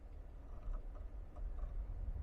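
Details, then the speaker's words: Geely Geometry electric car pulling away: faint, irregular light "ga-ga-ga" knocks over a low rumble, clearer on harder take-off; initially suspected lower control arm, but it was a drive shaft issue from the factory. "现在起步它就很明显，你听啊，嘎嘎嘎。"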